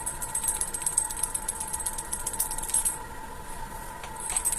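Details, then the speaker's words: Baume & Mercier automatic Swiss watch shaken by hand: rapid, light metallic rattle from the winding rotor (oscillating weight) come loose inside; fixed by replacing the mainplate. "eu quero mostrar para vocês esse relógio Bob se e ele está com barulho estranho quando você balança"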